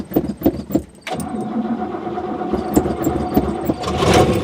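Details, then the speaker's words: Car unused since before last video, battery just installed, fuel pump primed before cranking: a few slow cranking pulses, then catches within a second and settles to steady even idle; normal start. "Holy crap, it worked. The battery is halfway decent."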